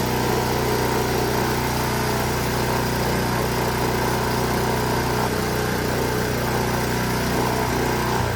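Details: Honda HS 520 single-stage snowblower that wouldn't start and had no maintenance, after repair, killed by choking: small single-cylinder fires and runs steady and even, no stumbles, then chokes off; normal running.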